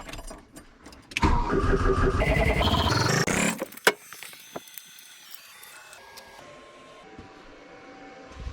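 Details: 1982 VW Rabbit diesel cranking steadily for about two seconds with no firing while being bled, all four injector lines loosened; no fuel reaches the injectors though the fuel shut-off solenoid gets 11.85 volts.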